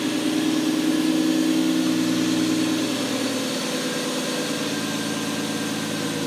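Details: Toyota BJ40 LandCruiser with twin-turbo 1GZ-FE V12 on a new Haltech Elite 2500 base map, first fire-up after setting timing: a smooth, even idle with a steady mid-pitched drone, no misses or ticking.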